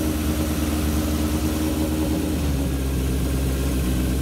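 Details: 1978 Kawasaki KZ650 C four-cylinder, revived after at least 5 years unrun, during carb vacuum balancing with dampers: even, steady fast idle set to 2000 rpm, smooth low hum, no misses or knocks; normal, balanced, carbs synced within about a quarter inch.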